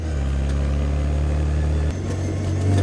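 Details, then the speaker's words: 1968 Austin Mini Cooper cafe racer with a race cam, 3.10 final drive and straight-cut gearbox, pulling a hill in 3rd gear: steady low gear hum rising with speed, the normal straight-cut gear sound. "It's funny how people's heads turn because it sounds unlike anything else going down the road. You can hear it coming. The straight cuts are just a foreign sound to them, and all their heads always turn."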